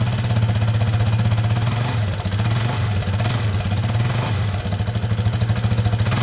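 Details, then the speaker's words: 2001 Yamaha Warrior 350 with bad engine knock, after a short ride: idling single with loud uneven top-end clatter over the thump; owner suspects timing chain but unsure; loose exhaust valve was found. "all right so just took it for that little ride as you can hear it's knocking pretty bad um it does sound like it might be the timing chain i'm not 100 sure"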